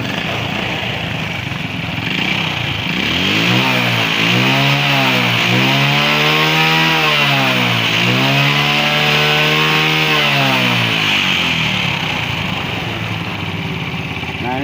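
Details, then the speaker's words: Tosa motorcycle after cleaning clogged AIS air-injection line that caused exhaust popping on closed throttle and downhill: clean revs rise and fall three or four times, no popping on throttle close, returns to idle; normal throttle response. "Tidak ada masalah sama sekali. Akselerasinya mulus, dan putaran mesin saat idle juga bagus."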